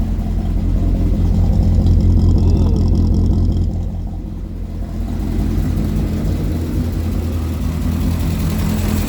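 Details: Triumph Spitfire 1500 after refitting welded exhaust, intake manifold and carbs: engine blips up and settles back in smooth rises with no ticking or puffing; exhaust now sounds tight and leak-free, running normally; shut off for a coolant leak.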